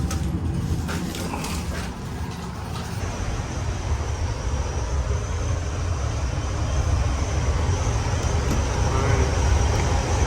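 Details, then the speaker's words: York chilled-water air handler after repair (broken part and missing bolts found, motor tension adjusted and laser-aligned, 460 V): steady, even low blower rumble building slightly as it settles, noticeably quieter; normal operation. "right it looks good yeah definitely sounds quieter"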